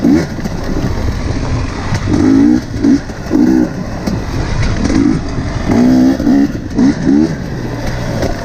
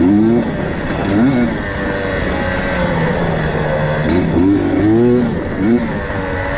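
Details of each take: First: KTM TPI two-stroke after swapping the faulty crankcase pressure sensor with the identical ambient pressure sensor: sharp, clean throttle blips from steady idle with no stumble; crisp low-rpm response, sputtering and loading-up fixed. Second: KTM TPI two-stroke, warm 10 minutes into a ride, before swapping a faulty crankcase pressure sensor: blips unevenly and stumbles and sputters at low throttle, sounding cold and loaded up.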